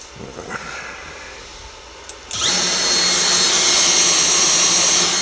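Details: Genmitsu ProverXL 4030 CNC spindle run at full throttle: quiet hum, then spins up to a steady, clean high-pitched whine with no wobble or grinding; healthy spindle.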